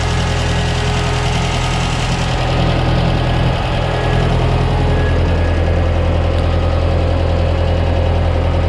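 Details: 1968 Ford 5000 diesel tractor, barn find sat 10 years, first run after restoration work: steady diesel clatter at idle, regular firing holding even without stumbling; healthy.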